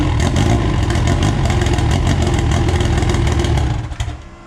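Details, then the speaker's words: AWD EG first start after harness, fuel and oil, on a borrowed 2000 cc injector tune: crisp idle, revs freely and drops back smoothly; good oil pressure, sounds healthy and peppy. "it seems to run pretty good it's got good oil pressure uh it sounds really really healthy uh really peppy revs up really really nice"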